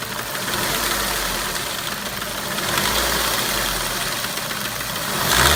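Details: Ford Mondeo 1.8 petrol Duratec HE, 87,000 miles, at idle: a light, quick mechanical tapping from the top end over the engine note; source not identified.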